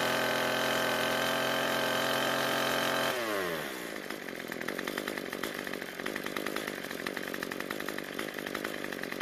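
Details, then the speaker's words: Cub Cadet two-stroke trimmer after turning the carburetor L screw about a quarter turn counterclockwise: high revs drop smoothly to a steady, even idle that keeps running; lean idle fixed, normal idle and throttle response. "we got really lucky and we didn't need to adjust it that much"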